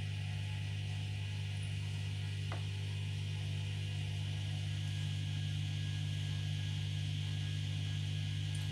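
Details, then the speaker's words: Indesit dishwasher with an intermittent fault, owner replacing it: steady low electric hum holding level as water drains away; the drain pump runs normally this time, but the owner says there must be a fault since it works only hit and miss. "you can see it's working it's draining out the water there you go there must be some sort of fault with it because it is working now"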